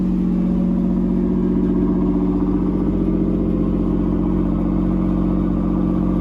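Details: Camaro V6 just after first start following fuel pump relay check, idling a little high about 2,500 rpm: smooth, even note holding steady, no knocks or misses; healthy.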